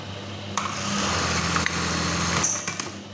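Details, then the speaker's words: Brother 814 (made in Japan) buttonhole machine after the stop timing was readjusted: a quick, even stitching clatter of about three to four per second with no knocks or snags; the stop is no longer loud, running normally. "kalian bisa lihat biar enggak bunyinya pas ketika stop to nggak begitu kenceng [Musik] Ya udah normal ya"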